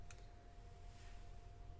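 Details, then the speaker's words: Tower home theatre amplifier with distorted, humming sound: multimeter across the amplifier IC supply pins gives a steady unbroken beep and about 10 ohm reading, showing the IC is internally shorted; shorted amplifier IC. "ये देखो beep आ रहा है, full 10 ओम reading आ रही है। ये IC अंदर internally short हो चुकी है।"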